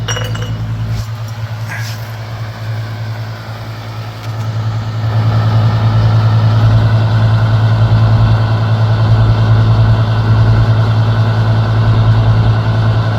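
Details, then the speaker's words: Second Master radiant heater, with the igniter unhooked for a fuel test: a few clinks, then a steady motor hum builds and holds evenly while the fuel sprays as mist. The pump and fan are working normally. "oh oh oh yep the Fu's working see all the Mist yep yep"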